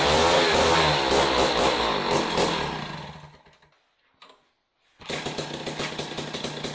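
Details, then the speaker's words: Jiffy Model 30 ice auger, unused several years, last run on ethanol gasoline, on premix after choke and prime: small two-stroke buzzes high and rough, drops briefly, recovers and keeps running on the carburetor, breaking up slightly (four-stroking). "well I don't know what you guys but I can pretty much guarantee that was running off the carburetor"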